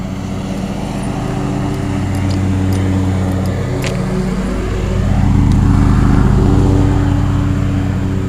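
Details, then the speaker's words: 1987 Carrier Round One 3-ton straight-cool central air conditioner: steady low compressor hum with fan whoosh, rising slightly then holding even. It briefly cut out after startup, possibly an electrical problem, but now runs normally. "Seems to be working fine now, though."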